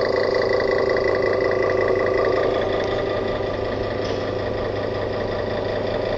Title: Coca Cola machine sounds like a diesel